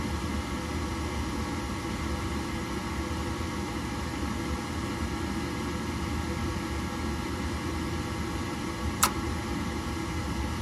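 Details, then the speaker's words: Horizontal gas-fired attic heater, blower running after ignition: a steady low roar with a rough, uneven hum. Amp draw read 1.8 A on the inducer and 4.7 A on the blower. "we're probably going to take an amp draw on this because it doesn't sound good"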